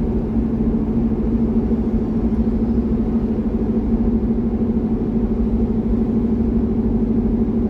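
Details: C6 Corvette with aggressive camshaft and long-tube headers on a revised HP Tuners tune, test drive at part throttle: steady, even V8 drone under light throttle with road noise beneath, no stumble, surge or misfire; smooth healthy running, decent street manners.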